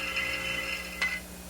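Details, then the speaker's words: Failed thermodynamic steam trap: a rapid, high-pitched metallic chatter of the disc or piston, ringing almost like a bell, then fading. Rapid chattering is the sign that the trap has failed. "of a thermodynamic trap will be characterized by a rapid shattering of the disk the piston a 16 voice through the cracks failure of thermodynamic"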